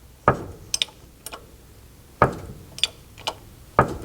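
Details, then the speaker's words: MGB GT front suspension with Costello modification, car being jacked: sharp single clunks about every 1.5 s with lighter ticks as suspension moves; shock absorber rubber fouling the bracket bolt. "I'm jacking up the suspension and that's what you hear, the clunking. That's another one, and another one. A very annoying sound."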